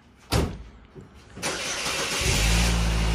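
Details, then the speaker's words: 2003 Saturn L200 after an exhaust repair that reinstalled the catalytic converter with a new gasket at the rusted, leaking joint: a short crank, then a smooth, deep, quiet idle with no exhaust blat. Normal idle. "oh it doesn't sound like a tugboat anymore nice nice and quiet sounds like a normal car"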